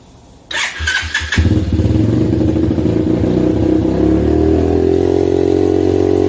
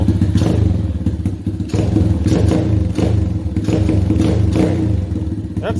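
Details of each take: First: 125cc pit bike just fitted with a Mikuni-clone VM22 26mm carb, started on choke: catches after a few cranks, then holds a fast steady idle that never drops; throttle stuck or idle air screw fully in, later thought to be a jammed throttle cable. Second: 125cc pit bike with Mikuni-clone VM22 26mm carb, after freeing a jammed throttle cable and setting the idle screw: steady, even low thumping single-cylinder idle without stumbling; idle speed correct and engine healthy.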